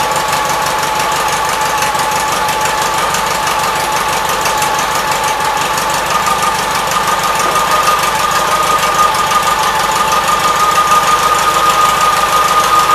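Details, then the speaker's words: 1976 Gravely 816 single-cylinder tractor engine puttering steadily at an even pace with no misses or knocks, after a missing fuse and a wire jammed in the fuse holder were found; normal running. "all right that was pretty good so you have to clean the car before this is done but it's working"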